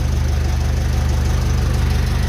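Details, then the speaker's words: Ferguson FE35 TVO tractor idling while being warmed up on TVO to open thermostat and test reconditioned radiator: steady, even low thump with no knocks or misses; engine runs smoothly and sounds healthy. "she she's making nice music"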